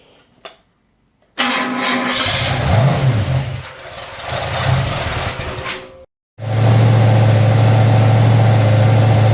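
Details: Ford XC Fairmont 351 V8 on a run stand with new Thermoquad carburetor, choke not set up: catches and revs up and down, then settles to a strong steady even idle; not perfect but running acceptably.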